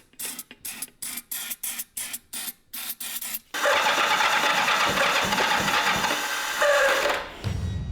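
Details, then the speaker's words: 1984 Kawasaki GPZ750 Turbo, long abandoned: even starter chugs about three a second, then a rush as it nearly fires but won't catch; owner realises fuel pump never primed. "you hear that? It sounded like it was going to start. Oh my God! has just occurred to me. The fuel pump. I haven't heard it."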